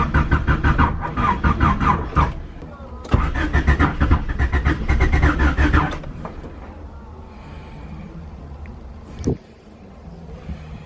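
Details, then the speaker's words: Honda wagon just fully OBD1 converted with ECU jumper, distributor jumper and distributor. Starter cranks in quick bursts and the engine catches unevenly but won't run; owner suspects it is firing the wrong cylinder. "The way it cranked earlier, that sounded like it was firing in the wrong cylinder."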